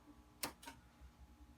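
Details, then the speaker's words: Mesa Boogie Dual Rectifier guitar amp, repaired and fitted with a MIDI and quiet channel-switching mod, clean channel turned all the way up: quiet hiss, then two tiny sharp pops a quarter second apart when switching to channel two. "can hear a tiny little pop when you go to channel two again the eq is set to just whatever it's set to another pop"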